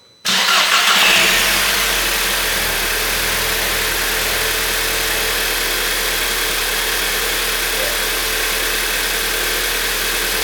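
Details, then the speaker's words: VW Jetta after fitting a Wagner Tuning competition intercooler, CTS hardpipe kit and 3-bar MAP sensor, under tray on, checked for turbo rattles: catches to a steady idle with a louder airy turbo intake hiss, no rattles; normal. "Definitely makes more noise. Cool."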